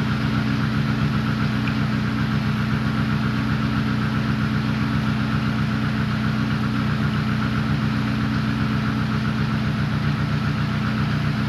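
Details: KIA Picanto Cosmo idling after racing spark plug wires were fitted; steady, even idle with a low hum and no stumbles, while the plug wires are checked for spark leaks, and a small leak in a wire is then suspected.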